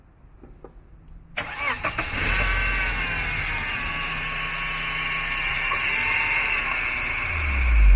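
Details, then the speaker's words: 2000 BMW E46 318i with M43 engine: brief cranking whir, starts on the first try and settles straight into a steady idle, no exhaust smoke; normal, easy start. "Ya, seperti yang sudah dilihat tadi, starter mobil ini nggak terlalu susah. Sekali starter, jreng, langsung nyala. Dan nggak ada keluar asap juga di knalpot."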